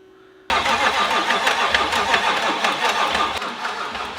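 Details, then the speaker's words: Ford Mustang with a newly installed, fully built RPG engine, cranked during priming for its first start: the starter turns steadily at about three turns a second without catching, sagging gradually as the battery goes flat. "Just like so, the battery died. So we'll try this again."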